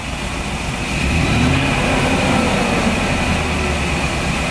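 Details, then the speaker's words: Wheelchair-lift van engine idling, code 3057 secondary circuit malfunction on cylinder 7, misfire on startup, owner suspects worn spark plugs: idle not quite smooth, faint uneven lope. "I couldn't tell before if it was running rough, but it's just not as smooth of an idle as it should be."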